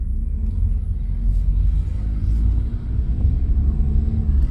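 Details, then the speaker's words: 2006 Hyundai Tiburon GS 2.0L automatic accelerating after a welded flexpipe repair; a low smooth rumble builds evenly with throttle, with no raspy roar or leak hiss. It previously sounded like a jet engine on pull-away and was very loud under acceleration. "my god, that sounds so good. Holy moly, I can hear myself think now."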